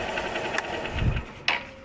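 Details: Honda motorcycle after repair for white exhaust smoke: new cylinder block, timing chain, valve seals and gaskets, fresh engine oil. Quick, even light ticking over a light engine beat, no knock or rattle, a couple of handling bumps; normal idle.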